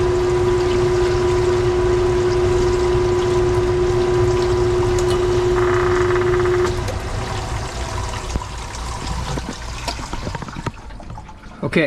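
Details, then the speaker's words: Faulty Dometic air conditioner on a Cruisers Cantius 50 yacht, heard in its cabin compartment: it starts with a steady hum, then makes weird crinkly crackling noises and trips the circuit breaker. The unit was later replaced. "so that verifies that something is wrong with this you can hear it turning on starting up then make some weird crinkly noises and uh flips the breaker so there's an issue with that"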